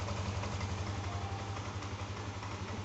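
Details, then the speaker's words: Yamaha Aerox 155 VVA scooter with smart key, idle restored after ISC (idle speed control) reinstalled and set; previously would not idle and died unless throttled. Steady, even soft putter at idle, no stumbling or stalling; normal idle. "Yes, the lamsam is back to normal, the motor is running,"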